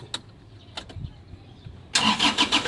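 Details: Isuzu Traviz diesel that suddenly would not start, after a clogged fuel filter was replaced and the fuel system was bled and primed. A few quiet clicks, then it catches instantly and settles into a steady run; normal start.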